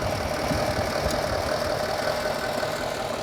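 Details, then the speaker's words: Car with a newly replaced hydraulic pump (BVH model) at idle after bleeding, fluid now clear, regulator valve shut: steady light ticking about two a second with a constant mid-pitched hum; pump charging the system normally. "So we can now put the cap back on, shut the valve on the regulator, which is only half a turn open anyway. Here we go. You can hear the pump working."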